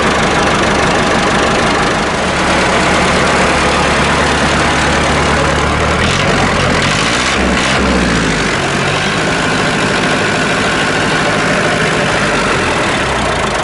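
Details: Massey Ferguson 1080 tractor (likely ex-French, bought as a scrap non-runner with fuel and electrical problems), freshly started cold with a little ether; even, steady diesel clatter with no missing or stumbling beats. Normal idle.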